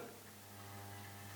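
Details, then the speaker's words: Rotel RA-980BX amplifier on the phono input with no music, volume control also dropping out on the left: steady low mains hum with buzzy overtones in just one channel; may be because the input is unloaded, unconfirmed. "you can hear that's got quite a lot of hum in just one channel. Um, that may be because it's unloaded."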